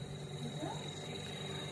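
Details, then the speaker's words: 9 kg twin-tub washing machine spin dryer after replacing a seal that had been spinning with the shaft, causing squeaks and leaks. A quiet, steady high whine with a light hum and no scraping: normal spin while the new seal breaks in. "Dan ternyata sudah berputar, itu masih ada berisik, itu wajar, nanti juga hilang karena si as remnya itu masih baru hasil pengeringnya."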